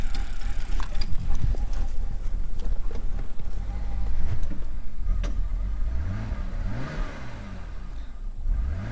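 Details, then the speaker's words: BMW bought from Copart, running on a replacement eBay ECU with fuel of unknown quality and a prior bank 1 cam sensor code: revs climb, then sag and stumble, backfiring, then it dies; rough running, hesitation, vacuum leak suspected. "It's like it revs up, it comes out of it. Here, it just died. Running weird, man."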